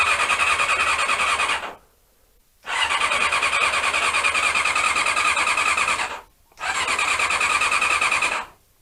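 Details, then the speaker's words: Honda CB-1 (NC27) sat unused a couple of months, fed from a remote fuel tank: two bursts of steady starter churning with a pause between and no catch. Cranks but won't start; owner suspects the carbs need cleaning again. "and as usual we've got the uh a non-starting problem that you always get with these bikes when you leave them for too long so i guess i will be cleaning out the carbs again"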